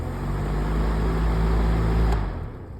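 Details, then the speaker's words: Honeywell fan with the blade put back on after being removed. A low droning hum with a buzzy rattle as it spins up and one sharp tick near the end: abnormal motor noise. The owner fears a damaged winding. "This fan's making a lot of weird noise."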